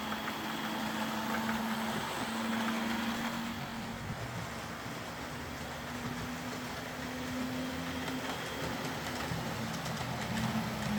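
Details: Old Hornby R751 Class 37 model locomotive after repair, wheels cleaned of corrosion with a rotary tool and brass brush, body refitted, on track: light steady motor hum with soft gear whir, even and unbroken; normal running.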